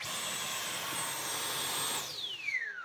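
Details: Dyson V12 Detect Slim Absolute cordless vacuum after hand-washing filter, seal possibly not fitting: high steady whine about two seconds then cuts out and winds down; still cutting out, owner suspects main body/motor failure.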